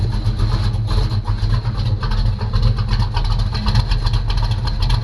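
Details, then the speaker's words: 1985 Chevy C10 short-bed V8, bought not running, new starter installed and oil topped up: deep, steady rumble with an even low beat, no knocks or ticks. Smooth, healthy running. "cranking it actually sounds pretty good it sounds awesome guys"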